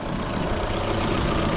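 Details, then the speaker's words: Opel engine idling after repair, previously squeaking near the timing/alternator belt: steady, even idle with no squeak or chirp; cause was the worn belt tensioner pulley bearing, replaced. "Пожалуйста, обратите внимание. Ни один из этих странных звуков или писков больше не слышен. Всё работает плавно"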